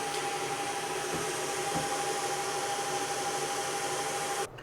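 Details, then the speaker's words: NETGEAR FS728TP 24-port PoE smart switch, just plugged in via kettle lead, device brought closer to the mic: steady loud airy rush with a fixed whine, cutting off at the end; normal but very loud enterprise cooling fan. "Like I say, it's very, very loud. You don't want this sitting next to you."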